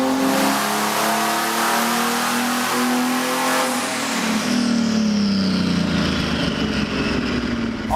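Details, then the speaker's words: Chevy 4.3 V6 junkyard turbo swap in a 1971 Datsun 240Z on the chassis dyno, making boost, 430 lb-ft and 387.4 hp at the wheels: deep, gruff full-throttle pull climbing steadily, then backing off cleanly, no misses or detonation. "that's about a 450 power V6 and it sounds and smokes like a Mac Truck it sounds like a power stroke diesel"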